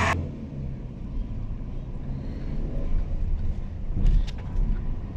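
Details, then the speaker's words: Nissan Frontier 2.4L after timing cover replacement for front oil leak, warming up on road test: smooth, even low rumble with a steady beat, no knocks or ticks; engine idling healthily. "estamos en la prueba de este vehículo Nissan Frontier 2.4 estamos viendo cómo está el el motor hasta ahorita se siente muy bien todo está suavecito"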